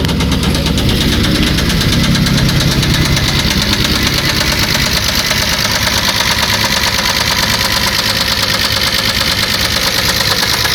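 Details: 1994 Chrysler LHS engine at a steady idle with a sharp, regular metallic knock riding over the engine note; internal knock of unknown cause.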